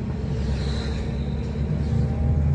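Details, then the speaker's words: Toyota Avanza (2005–2015 generation) driving on slightly rough road: choppy, uneven low rattle under road rumble from a worn front stabilizer link, felt as strong vibration when touched. "ini ada ini adalah suara dari stabil Link ini dia dan apabila dipegang ini akan terasa ada getaran keras sekali bunyinya ya"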